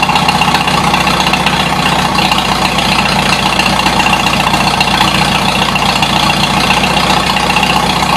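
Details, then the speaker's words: 1953 Super H series 2 tractor in cold weather, throttle bumped up a couple of notches at a time while trying to make it run better: at third and fourth notch a steady, even beat with no knocks or misses, pulling air with smoke; normal running at raised throttle. "third Notch it was ran there a lot fourth Notch sounds damn good I can see it pulling the air in there with the smoke"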